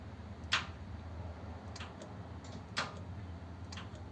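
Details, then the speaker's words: 1932 two-door sedan overdrive after switch repair, ancillary switch on and lever in fourth gear: two crisp distinct clicks a couple of seconds apart as the relay and solenoid engage, with the ammeter moving under the solenoid load; fault fixed. "and you can see the um amp gaug change as well with the the load from the solenoid that's good isn't it"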